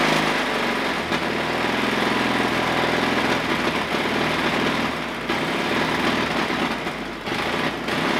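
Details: Pony start motor of a 1950s Caterpillar 955 Traxcavator after turning the fuel on: light, ragged popping that never settles and keeps faltering; sputters and won't run properly, carburetor to be removed next. Cause suspected, not confirmed.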